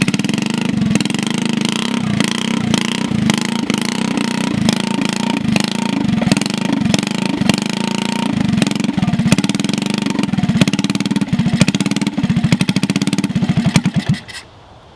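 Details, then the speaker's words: Honda CT70 garage find, first start in years on fresh fuel: small single runs at a fast, uneven idle with a dull, smothered, underwater-sounding exhaust note from a rusty exhaust pipe rotted in half. "all right well it is a runner so I'm excited about that it sounds like it's underwater with that pipe might just try and cut something today cut it off find another exhaust"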